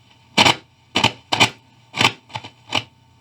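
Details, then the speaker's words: 1955 Magnatone 108 Varsity Deluxe tube amp, touching the silver can capacitor: six loud irregular crackling pops over quiet hum; suspected intermittent connection or bad ground, not confirmed. "I'm gonna touch this capacitor down here whoa okay so this silver can capacitor thing if I touch that freaks out"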